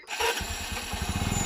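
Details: Motorcycle that wouldn't start after sitting a week with stale petrol, fixed by rejoining two wires and draining old fuel: quick cranking catches into rapid even single-cylinder putter picking up pace; starts and runs fine.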